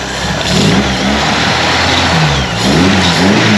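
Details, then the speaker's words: 1931 Ford Model A coupe with 2.3L four-cylinder, just started and warming up: loud but even four-cylinder beat with steady firing and no knocks or misses; runs smooth, just loud for a little four-banger. "Thing's pretty loud for a little four-banger."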